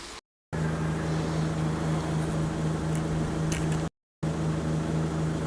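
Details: Diesel car idling: steady, even idle with a constant low hum and no misses or knocks, running clean.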